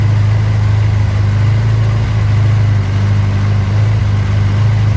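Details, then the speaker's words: Barn Sprite (Austin-Healey) with a newly installed 1275cc A-Series engine on first start, after the throttle is backed off: low, even idle with no surging, at a good rpm for setting the timing with a timing light. "That sounds like a good RPM to get the timing light out."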